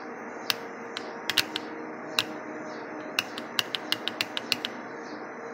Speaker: when you touch the activation lead you should hear an audible click from the solenoid